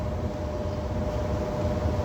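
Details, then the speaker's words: ICP/Carrier gas furnace after a blower motor replacement and new control board: at power-up the blower gives a steady airy rush for about 10-12 seconds, a normal start-up cycle. "this is that cold 12 and remember guys like I said this is only like a 10 to 12 second thing"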